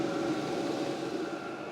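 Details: LDHTHOPI diesel heater bench-tested in a shop, not yet installed, at max temperature: steady, even fan roar with a faint mid-pitched hum and no knocks or rattles; putting out a lot of heat. Normal running at full output.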